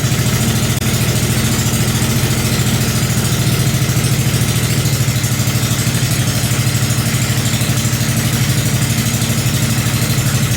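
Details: Briggs 5hp engine on a homemade mini bike with a shop-built exhaust, first start-up with a little backfire: loud but even single-cylinder putter at steady idle, no misses; sounds good, runs normally.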